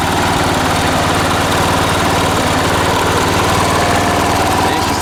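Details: 1980s John Deere RX95 ride-on mower, 36-year-old Kawasaki FV460V engine, first run after a carburetor and starter rebuild: even, steady putter with no misses, knocks or hunting; runs smoothly.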